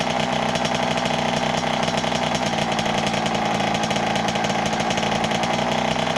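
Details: 1988 Kawasaki KX80 two-stroke, first start in 15 years after a new piston; earlier flooded. Buzzy, crisp bark holding steady and picking up with throttle blips: the rebuilt engine runs and revs.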